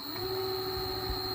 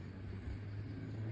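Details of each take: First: Electric scooter hub motor spinning after the cover (hood) was opened and reinstalled to cure a rubbing noise, magnet left in place; smooth, steady constant-pitch electric whine with no scraping or rubbing; spins freely, healthy. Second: Electric scooter hub motor spinning: heavy low drone with a dragging rub, nothing touching outside, not the brake side; motor cover rubbing internally, fixed by opening and reinstalling the cover, magnets fine.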